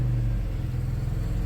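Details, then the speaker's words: 1994 Chrysler Town & Country AWD van after a new mount was installed, running in gear. It cranks long on first start, as if losing fuel pressure, then holds a steady low rumble with no shudder or vibration. Normal running in gear. "Oh, it feels good. No weird vibrations or anything. I think we're good."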